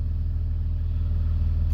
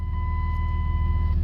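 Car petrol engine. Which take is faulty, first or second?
second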